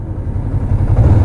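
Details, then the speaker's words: 2005 Kawasaki Ninja 500R parallel twin, 22,000 miles, revived after sitting 10 years, first ride: smooth pull with a steady low exhaust note rising evenly, no knocks or rattles; sounds healthy, still breaking in. "Sounds incredible. For 22,000 miles, this thing sounds amazing. Sounds like it's still breaking in."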